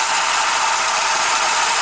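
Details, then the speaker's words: 2009 Subaru Forester idling, after burning smell, smoke from hood and power loss: steady harsh grinding and rattling from the A/C compressor clutch, its bearing completely shot, with material melting out of the clutch. "Even here, the bearing in there is completely shot."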